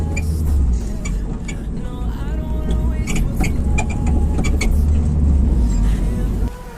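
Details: 2008 Honda Civic LXS: sharp, irregular knocks from the front suspension over low road rumble on rough pavement; owner suspects the strut mount, to be replaced to see if the noise stops.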